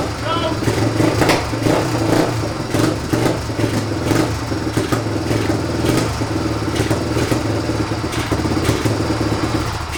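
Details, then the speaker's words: Neglected 1997 Suzuki DR350 single, which caught fire last time it ran, started after two kicks: off choke it chugs at a ragged idle with uneven beats and clatter; lean running, carburetor suspected clogged. "all right so when I take it off choke it runs really lean so probably carburator is a little bit clogged up"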